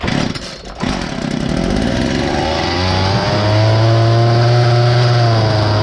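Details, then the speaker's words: Poulan Wild Thing chainsaw with an aftermarket carburetor kit: it fires, climbs quickly and hangs at a high steady scream instead of settling. Massive air leak around the cylinder base, where the sealant has likely lost its seal. "it's all fired up and runs but has a massive air leak and it's right around the cylinder base"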